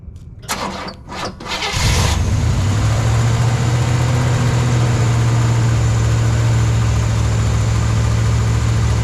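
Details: Engine with a backfiring issue under investigation: a few sharp pops during cranking, then it catches to a deep, lumpy idle, suggesting a weak cylinder.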